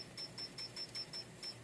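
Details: Yaesu FT-7 (7ZX) handheld radio's piezo keypad beeper: short, high-pitched beeps in quick even succession, each stopping cleanly; normal keypress beep. The owner's complaint was a beep that stuck on until buttons were fiddled with or the radio was power-cycled.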